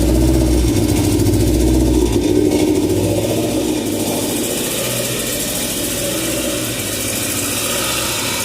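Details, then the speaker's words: Honda EF chassis, PGM-FI, restarted after distributor adjustment: engine settles from higher speed and the idle keeps rising and falling slightly, still surging; cause unconfirmed. "so we're gonna go ahead out we didn't clean the ayah back it's still idle surging"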